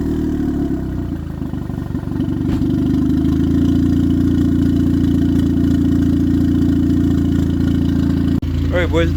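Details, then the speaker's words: 96-99 EK Civic, turbocharged, after alternator replacement: steady, even idle hum with a low smooth exhaust note and no misses or knocks; no longer stumbling as when the old alternator drained the battery. "We got a new one installed, replaced. Car sounds beautiful. It's not breaking down like before."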